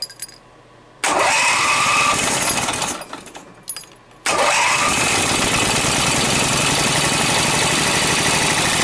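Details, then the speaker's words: Briggs & Stratton opposed-twin engine with dual carburetors and dual exhaust, on gas mixed with Marvel Mystery Oil: it catches after cranking, stalls, then restarts to a buzzy, uneven run. Exhaust comes back through the carburetor and the flywheel visibly wobbles. "go see the wobble in the flywheel hear the exhaust coming up through the carburetor not good"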